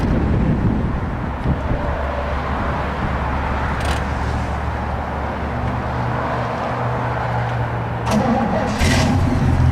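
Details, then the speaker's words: 1968 Chevy truck V8 with a swapped-in 4-barrel carburetor, new distributor cap, coil, Flowmaster exhaust and flattened exhaust manifolds: deep, steady idle rumble with even beat and throaty exhaust note; runs smoothly, no knocking or tapping. "So it's got a pretty good sound with the Flowmasters."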